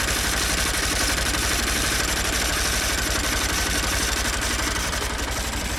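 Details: 2016 Honda Bros 160 single: after a worn piston was found following the 6,000 km service and replaced with original parts, a new, louder internal noise appeared. At idle, a fast steady ticking knock about four a second rides the exhaust beat; cause unknown.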